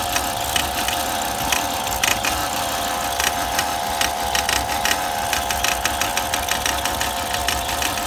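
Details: 2002 Volvo XC70 running rough at idle with irregular heavy knocks and stumbles; misfire reported by previous owner as a dropped piston right after a timing belt job.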